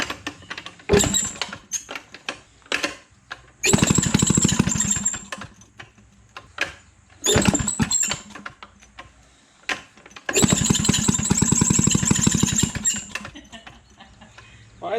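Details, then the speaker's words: Maytag 92 hit-and-miss engine, an estate-sale garage find, fires erratically in ragged popping bursts with gaps between, smoking heavily. Rough running. "SC speaking so much that sounds terrible spit some mean smoke oh yeah these smoke like crazy yeah that sounds terrible"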